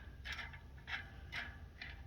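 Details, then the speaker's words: Schwinn Boundary electric bike unsealed headset bearing, dirty after one or two rides, turned by hand: quiet scratchy rasps about twice a second; dirt inside, not smooth, contaminated bearing. "And just when you feel it, it's just not, it's not buttery smooth. It's not what you want your bearing to feel like."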